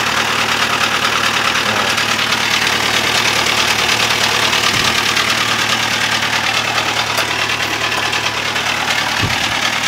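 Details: Toyota Avanza petrol engine idling, noisy since previous night: steady harsh metallic knock about three times a second; mechanic suspects engine bearing wear.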